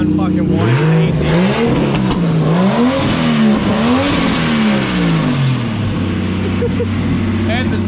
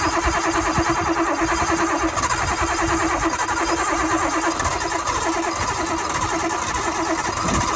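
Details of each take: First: Nissan Cefiro RB25DET turbo straight-six after the wire was twisted back together, now running strong, smooth and even on all six with a few blips, no misfire stumble. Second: Nissan Cefiro RB25DET with a long-running mysterious miss, tested after new spark plugs: lumpy, uneven idle with a stumbling beat like one cylinder dropping out; the plugs did not fix it, and an open ignition coil feed wire was later identified as the likely cause.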